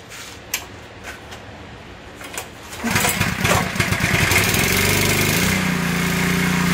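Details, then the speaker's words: Simpson 3400 PSI pressure washer, Honda GX200, after cleaning the unloader for a no-pressure fault: pull start catches into a steady, even single-cylinder drone, engine load changes audibly as the unloader works; runs normally, fix appears successful. "that sounds better already [Music] i can hear the unloader you can hear the change of the engine load and it's going back"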